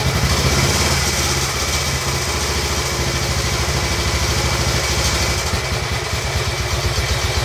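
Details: Royal Enfield Bullet 350 Classic first start after cylinder hone, new rings, decoke and carb clean: steady single-cylinder thump at idle, slightly uneven, no knocks or tapping; healthy, needs slight carb tuning.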